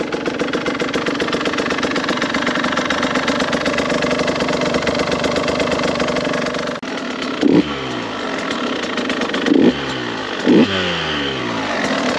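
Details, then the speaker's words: 2022 KTM 150 XCW two-stroke at first start-up: crisp, even, quiet idle with a few quick throttle blips that rise and settle cleanly; a normal, healthy engine. "It's amazing, absolutely amazing to me how quiet these bikes are. A lot of guys will say, why do you need an electric bike when you have a two-stroke this quiet?"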